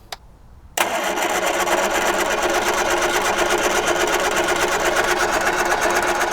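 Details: 1978 Triumph Spitfire 1500, not run in years, carb bowls primed with fuel: steady, even cranking that goes on without catching; no spark, traced to a dead ignition coil.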